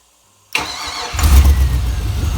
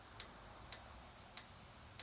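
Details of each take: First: Junkyard GM 5.3 V8 for a 1955 Buick Special swap, with mufflers: starter whirs, catches and settles into an even steady idle with smooth exhaust pulse; runs good, oil pressure good. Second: Junkyard GM 5.3 V8 fuel injector number two pulsed on the bench with pressurized rail: sharp crisp ticks about every 0.6 s over quiet background; injector leaks and drips fuel as soon as pressurized, before firing.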